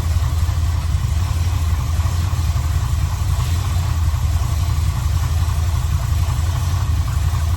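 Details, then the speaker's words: 1984 Chevrolet one-ton wrecker V8 after redoing the passenger-side header: deep steady idle with fast uneven puffing tick underneath; header leak fixed, remaining exhaust leak down at the collector. "Up at the header pipes anymore. Sounds like we're just leaking up down to the collector now."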